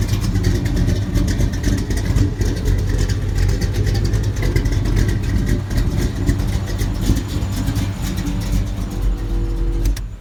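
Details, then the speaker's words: Chevy K10 truck, family-owned since new and daily driven, with a Comp 280H cam and aftermarket heads: deep, loud, steady V8 idle with slight cam lope, firing evenly with no knocks or ticks; normal, healthy idle. "Oh, it's gonna comp 280H cam and whirl heads and all that crap on here, so it's a little spicy."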